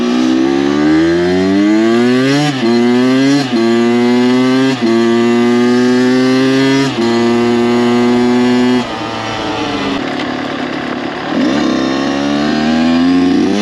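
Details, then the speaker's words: Freshly rebuilt Kawasaki KX 85 two-stroke dirt bike after break-in, brought up on the pipe at full throttle: crisp wail climbing in pitch, dropping at each crisp shift and climbing again, no odd vibrations or sounds; healthy engine. "As you just saw, brought her up on the pipe, gave her full beans, and no weird vibrations, no weird sounds."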